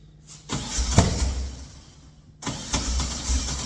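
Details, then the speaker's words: Engine cranking: two bursts of uneven chuffing with no firing, never catches; owner suspects timing is 180 degrees out and possibly low on fuel, plans to revert to previous setting. "Now that sounds like it's 180 out. That definitely sounds like it's 180 out."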